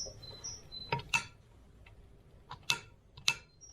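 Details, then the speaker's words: Solenoid tested with a small power supply while diagnosing a fuel-burning heater; the click is inside and heard clearly. Sharp, crisp single clicks at uneven intervals over a quiet background; the solenoid is functioning normally. "No, it's inside, but we hear it clearly, and it has a distinct click to it. So I would say This solenoid is functioning."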